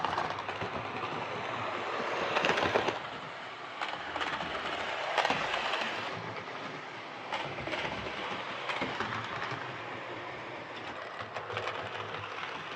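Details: Hornby R2553 Princess Coronation Class "City of Bristol" model locomotive after repair of mangled rods and noise/traction issues: the small motor hums evenly with light rail clicks, no stalling or surging; normal running.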